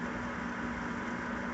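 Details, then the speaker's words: Gas furnace after repairing, rather than replacing, its gas valve: smooth, even burner roar and low steady hum with no clicking, puffing or flame dropouts. Normal furnace burner operation. "As you can see, the furnace is running as it should."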